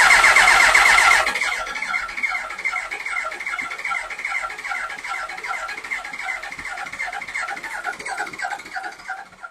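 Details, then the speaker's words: Yamaha R1 project off the road for years, fed from a hanging fuel bottle: fast starter whirr with uneven pops that never catch, lots of fuel coming out the intake through the airbox. Ignition issue suspected, carbs need rebuilding. "Okay, she wants to go. You can you can you can hear she's she's trying. Okay, she is really trying to go."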